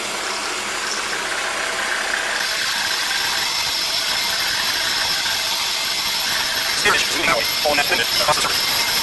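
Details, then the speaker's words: 1948 Chevrolet brake drum being turned on a drum lathe: the cutting bit gives a steady high-pitched singing as it runs to the outside of the drum, with some scraping as it bottoms out against the wall. A normal rough cut. "Okay, now I'm going to run the cutting bit all the way to the outside of the drum. And you'll hear it bottom out against the wall."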